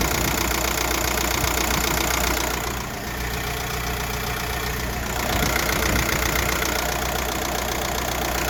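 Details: 1.9 TDI ASZ diesel idling: steady knock roughly two to three beats a second, heard through the driver's side wheel well, not with bonnet open; pulleys except crank, timing kit and dual-mass flywheel recently replaced; cause unknown.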